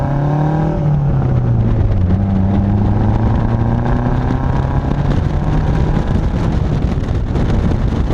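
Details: Saab 900 turbo after new spark plugs, distributor rebuild and timing set correctly, driving under load: smooth, strong pull with rising revs and crisp exhaust burbles off throttle, no miss; engine sounds healthier, boost slightly improved.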